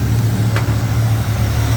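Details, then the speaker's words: Clapped-out K10 truck V8 after readjusting the distributor, base timing set at 16° from way too much advance: a deep, even burble with no misses, knocks or stumbles. It's idling well. "Initially had way too much advance, but base timing is set 16°. She's running mid, boys."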